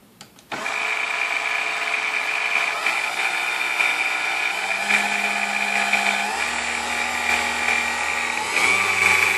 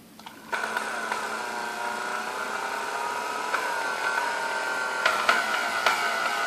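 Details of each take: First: Vintage Kenmore stand mixer, apparently Westinghouse-made, after service with dry bushings' wicks packed with oil: motor spins up to steady even hum with clean high tone, no screech (previously from lack of lubrication) or burning odor; normal running. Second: Vintage Kenmore stand mixer, believed Westinghouse-made, first power-up before service: a steady high whine with a screechy edge over the motor hum as it spins up, smoother at lower speeds, feels sticky, brushes smelled. Cause was bone-dry bushings, later cured by oiling the wicks.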